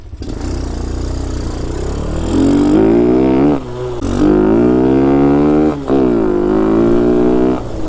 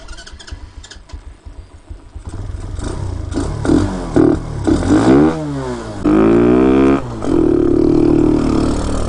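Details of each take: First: Hellcat 125 (TaoTao Grom clone) with 26mm Nibbi carb, now on a 120 main jet after the 115 ran very lean: clean revs climbing smoothly with no bog or stumble, pulling crisply. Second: Hellcat 125 (TaoTao Grom clone) with 26mm Nibbi carb, main jet raised to 115 with good lows: revs in sharp rising bursts at wide-open throttle, thin and flat, still very lean; owner then tries a 120 main.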